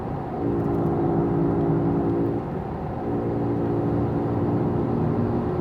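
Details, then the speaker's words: Road test, worn wheel bearing: a steady droning hum over road noise fades while turning one way, which unloads the bad side. It returns when driving straight again and the bearing is reloaded. "And then when you come back from your turn and go straight ahead, you're back to loading that bearing and it's making some noise."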